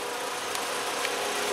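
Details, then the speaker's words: 2007 VW Jetta 2.5 20v, warm at 75°C coolant, after a new fuel filter with integrated regulator (4 bar); idle stable at 680–690 rpm, even and smooth; faint ticking is the canister purge valve; normal idle. "temperatura da água 75º até o momento marcha lenta estabilizada aí em 680 690 giros né Tá show de bola"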